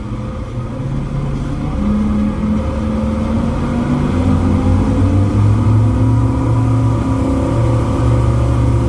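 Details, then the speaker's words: Twin Yamaha V8 outboards on a Pursuit 345 Offshore, throttle opened after a no-wake zone on a sea trial: a smooth, deep drone climbing steadily in pitch with no misfires or knocks; normal running under acceleration. "so well it's definitely running good i love the sound of those v8s they sound good yamaha's always have a good distinct sound to them"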